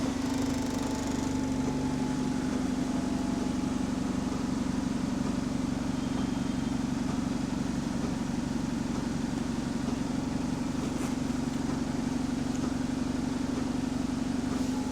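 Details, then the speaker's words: Bus fleet no. 36537 in motion on route 124: steady diesel drone with a regular clocking knock, about three a second, that quickens as engine revs rise; repetitive knock varying with engine speed, source unknown. "What's that clocking noise? Oh, it's affected by the engine speed. You hear it get quicker as the engine revs up."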